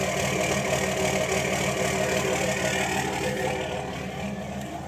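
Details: 2006 Cummins diesel idling warm: uneven, loping beat about three pulses a second that doesn't settle; rough idle when warm, cause not identified.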